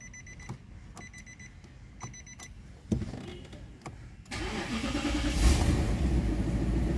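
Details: 2010 Nissan Patrol petrol SE with a crank-but-no-start fault, after sensor work. A few chimes and a quick crank, then the engine catches cleanly and settles into a steady, even idle. Normal start after repair.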